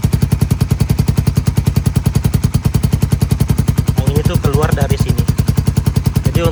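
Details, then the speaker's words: Suzuki Satria injection motorcycle with 3-setting DB killer silencer used over 2 years: steady idle thumping with loose, puffy note; weakened valve spring lets exhaust leak past the insert, reducing muffling. "untuk saat ini, efek peredaman suara telah berkurang dan tidak setenang sebelumnya karena udara bocor keluar dari sini."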